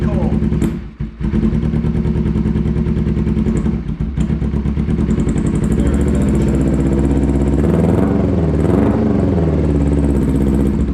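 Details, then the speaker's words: Kawasaki Ninja 250 honest cold start, cranked with no throttle, in neutral with the clutch pulled. Chuffing dips and nearly dies a couple of times before steadying; normal cold-engine behaviour. "that's how you know they're actually cold when they want to die"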